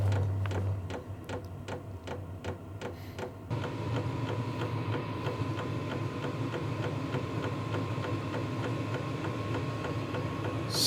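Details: Vevor 8 kW diesel heater starting on its recommended 12 V power supply after earlier voltage problems: fuel pump ticking about three a second, then a rising roar and faint whine as the burner ignites and ramps up; normal start-up.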